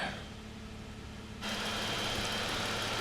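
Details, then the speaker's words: 2022 Jeep Wrangler Unlimited, 3.6 V6 Pentastar, running without e-torque right after restarting following a battery fix for stalling, cutting out and no-start; smooth, steady idle, even hum, no ticking or misfire, runs real nice. "yeah, it's running real nice. 3.6. I'll let y'all hear it for a second here without the e-torque."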